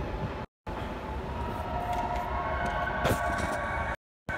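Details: 2015 Audi S5 with a steady engine drone. A faint thin whine rides above it along with a light rattle. Whining and rattling noise, cause unclear.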